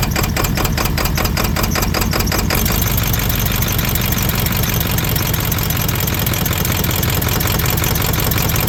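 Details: 32-year-old OBS Ford 7.3 Powerstroke diesel revived after years sitting: loud, lumpy idle with stumbling pulses, missing on about half the cylinders with one connector plugged in, on only one when unplugged.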